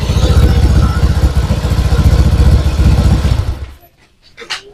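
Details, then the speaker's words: Honda Vario 125 scooter with lost ignition traced to a burst ECU, after repair: engine now starts and runs with a steady, even low thrum, no misfire, then switched off; normal running. "Sudah hidup ya teman-teman. Kita coba lagi, hidupkan lagi."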